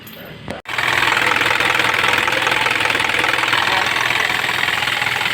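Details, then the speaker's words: Isuzu 4HF1 diesel running for a while during testing; loud airy rush with rhythmic chuffing and heavy smoke from the crankcase breather; excessive blowby. "So problema lakas ng tubay. Grabe woo grabe lakas ng blue bay ayan oh meron akong mausok"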